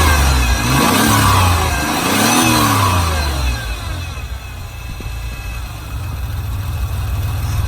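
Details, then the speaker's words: Ford Ranger 3.0 V6, 5-speed, from a wrecked truck (2000 flex-fuel), started by jumping the starter solenoid: fires with throttle blips, settles to a lumpy idle, likely sucking air through broken vacuum lines; no smoke, ticking or knocking. "And that's going to turn the engine over if I can grab the throttle quick enough. No smoke, no ticking, no knocking."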